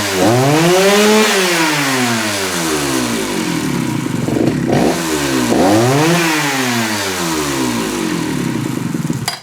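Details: Jonsereds 70E two-stroke chainsaw tested to see if it runs: a crisp snarl climbs and falls cleanly through several throttle blips, picking up evenly without bogging; the saw runs well.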